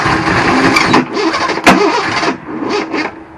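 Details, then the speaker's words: Improvised drip-fed fuel setup on the "franger" engine: uneven, ragged cranking that sags and briefly catches, running for a second before dying as the battery runs low; slow cranking from weak battery, a possible knock or noise heard. "battery's running is running low hey Ran for a second it ran"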